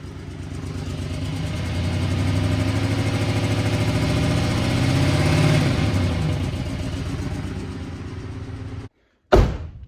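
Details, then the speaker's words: 2005 GMC Sierra half-ton (GMT800), 66k original miles, before the injector swap: a low, lumpy, stumbling idle with a short ragged rev blip. It is misfiring, with injectors suspected since plugs and wires were reportedly done. It runs better than when picked up. "I'll show you how bad this thing's actually running. When I picked it up, it was actually running worse. It'll actually hold in idle now."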